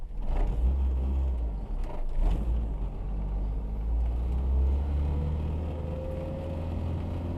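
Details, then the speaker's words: RHD Acura Integra GS-R DB1, revived after sitting for years, with the engine finished, new brakes and steering components: smooth engine pull with a steady low drone while driving, no knocks, ticks or rattles; drives really well, engine sounds healthy. "Drives really well. The engine sounds good."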